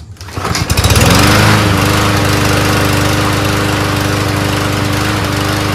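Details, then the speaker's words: Mower being readied for sale, test whether it starts first pull or needs a new magneto: starts on first pull, settles into steady, even putter, no stumbling or hunting; fixed, runs much better. "it's fine it's fine we won't do it it's fixed so two lawnmower fixes for the day I feel pretty good this thing's now ready to sell runs much better than before"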